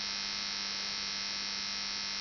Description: After 1h running time my TX-NR 709 sounds like an electric shaver.